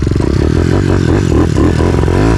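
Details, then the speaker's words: YX 160 4S single-cylinder pit bike with mildly prepped head, after jetting richer to 118 jet: runs rough, uneven, stumbling clattering beats under throttle; mechanic says ignition is odd, suspects a ground fault, not the carburetor. "Son allumage il est bizarre. C'est comme s'il y avait une masse. C'est impossible. C'est pas le carbu."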